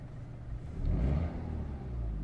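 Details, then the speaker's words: 2009 Audi A4 B8 S-Line 1.8 turbo petrol, hard to start and lumpy: quick rev blip, then revs sag and stumble back, nearly stalling at idle; no misfires in live data, knocking heard; cam timing incorrect. "When it comes back to idle, it nearly loses it."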